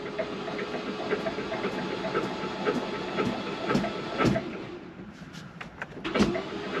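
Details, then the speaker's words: 2012 Ford Focus flooded to the roof in Hurricane Helene, sat for months: starter spins the engine freely with uneven whirring and wet spits as water and transmission fluid are expelled from open plug holes while cranking, clutch in, in neutral. "it's spitting out uh my transmission fluid and the water water which is nice going to keep cranking it get all that water out of there"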